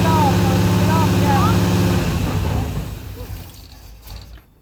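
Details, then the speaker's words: 1984 Chevy Silverado V8 with slight miss, held near 3,000 rpm while turning the distributor to adjust timing: steady high rev sags and the engine dies to silence within about three seconds; engine stalling. "Did she cut it off or just get off the gas? Is it cut off? It killed itself. Oh, killed itself. Crud."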